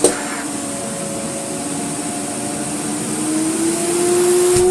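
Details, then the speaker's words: Restored French Moulinex E59 cylinder vacuum cleaner running at the 400 watt setting: steady motor hum with a clean tone climbing slightly as it settles, even airflow hiss, no rattles or scraping; not silent but powerful. Normal running. "It's not a silent machine, I have to confess, but crikey is it powerful. We are in 400 watts at the minute."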